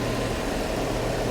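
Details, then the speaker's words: 2012 Dodge Charger salvage-auction car, warming up: steady, even idle with a smooth low drone and no knocks, ticks or misses; sounds healthy, cooling system pressurized, no blow-by seen. "don't worry about the way it looks it sounds healthy it's warming up nicely it's got pressure on the cooling system"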